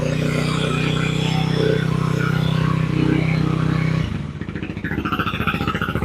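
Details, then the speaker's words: 2006 Yamaha WR250F, unridden about six years, with a rebuilt carb, new air filter and water pump and cleaned tank: steady idle, then sags and stumbles instead of revving; owner suspects carburetion too rich at altitude, jet kit coming. "But yeah, it runs, and I'll fire it up so you can hear it, but it does not rev. So obviously there is something wrong with that."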